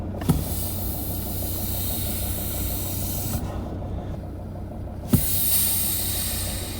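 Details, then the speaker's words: Mercedes ML270 CDI W163 diesel idling, recorded on an iPhone; steady hiss fading then returning stronger: air leaking past a failed brake booster seal, which causes spongy brakes and hissing. "You've got spongy brakes, or you can hear a hissing sound."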